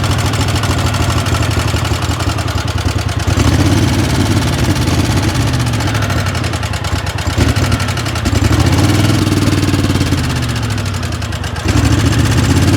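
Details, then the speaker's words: Craftsman 20 HP twin lawn tractor that stalls under load idles rough and hunting, with light ticking over the thump; owner suspects a loose valve. It won't run slow, and the gasket behind the carburetor seemed to breathe while cranking. "You can hear a little bit of noise. It sounds like you got a loose valve possibly."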